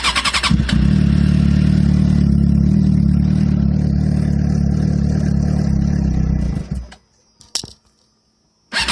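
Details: 2007 Suzuki GSX-R (titled K6), cold start after sitting overnight or hours in the cold: fires and holds one fairly high note about six seconds, then fades and dies instead of settling; won't hold idle, exhaust smells very rich; intermittent, shop found nothing.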